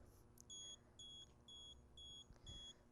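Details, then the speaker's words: LeakSmart water leak sensor during its setup test, with a wet cloth held to its two pins: five short, high-pitched beeps about twice a second over quiet background signal that it has detected water; leak alarm. "my sensors beeping and then I want to continue to hold this until I see success in the app"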